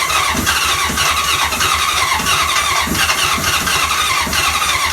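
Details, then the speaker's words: 1980 Honda CB750C engine cranking with gas poured into the cylinders. It spins fast with uneven puffs, trying to catch but never running. The owner suspects weak spark or low compression. "you guys just saw from that it was doing like the Duden Duden like it wants to fire up but it just can't"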